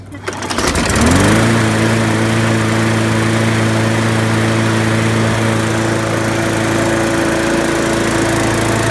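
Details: Trash-picked Murray mower with a Briggs & Stratton 300E series engine, after tank cleaning and a sharpened, balanced blade: engine catches and settles into a steady, even drone with no misses or surging. Normal running.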